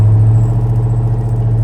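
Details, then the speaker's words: 2000 Chevrolet Silverado 2500 V8 with heads and cam upgrade, all motor, about 700 rpm idle: deep even low rumble, steady beat, no misses or ticks; normal calm idle. "nice calm idle every time so I just wanted to show you guys if you're struggling"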